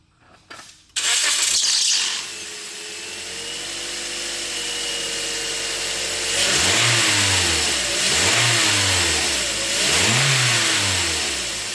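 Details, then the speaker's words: 2009 Toyota Corolla LE with 2ZR-FE 4-cylinder, 106,000 miles. A loud serpentine belt squeal at startup goes away within a second, then a clean idle and revs; the alternator is new but the old Gates belt shows wear. "sure enough that was a very loud squeak on the startup which went immediately away"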